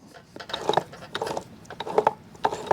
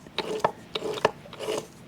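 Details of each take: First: Manual transmission for a 4-cylinder Foxbody, turned slowly by hand: soft, light gear clicks and ticks with no grinding or roughness, no play; appears freshly rebuilt and possibly never run, sounds healthy. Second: Manual transmission removed from a 4-cylinder Foxbody Mustang, turned by hand: irregular rasping, grinding scrapes in uneven bursts; burnt-looking old fluid, input shaft play, broken top-cover pieces; owner convinced the fluid is gear oil.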